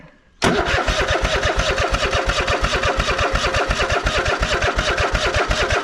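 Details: Cub Cadet GT1554 mower, sat about 10 years after being rolled over, first start on a trickle-charged battery: fires into a loose, uneven chug about three beats a second and won't hold, with black and blue smoke; water in carburetor.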